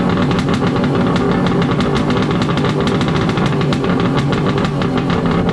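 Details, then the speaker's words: Wave Blaster jet ski converted from 701 to 1100 engine, first start after swap, exhaust O-ring removed for cooling water flow: loud rapid even crackling two-stroke beat holding steady, no misses or knocks; normal running. "We finally started it up. Sounds like a damn beast."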